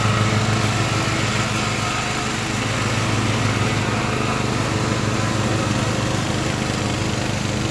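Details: Craftsman LT1000 riding mower with swapped-in Briggs & Stratton engine, warmed up after a week unused, test-mowing tall grass with unsharpened blades: steady, even single-cylinder drone holding speed under cutting load, no misses or knocks; running healthy.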